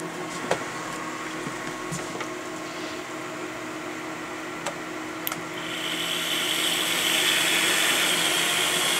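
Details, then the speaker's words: Vintage MediaCube nCube 4 server with system switched off, only power supplies running: steady airy whir with faint hum rising as supply fans spin up, loud (about 80 dB on phone meter) but normal. "Now that is just the power supplies running. That's uh the actual system as you see is off."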